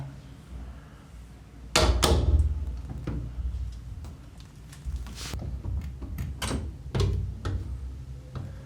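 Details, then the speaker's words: A second interior home door, with a felt pad on the top corner touching the frame, shut and pushed: a few solid thuds with no loose chatter. The rattle that occurred in wind is fixed. "This door is also fixed now. No more noises for this one also."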